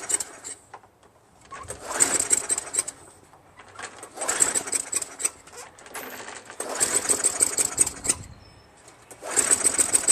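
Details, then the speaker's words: Craftsman Eager 1 22-inch self-propelled mower, 5.5 HP Tecumseh, rebuilt carburetor, dry intake; repeated pulls every couple of seconds give brief sputtering catches that never keep running. Sticking governor, later fixed by adjusting it back slightly. "So, it started for a little while after I put a piece of wire pulling the governor back just a little bit. It's sticking right there."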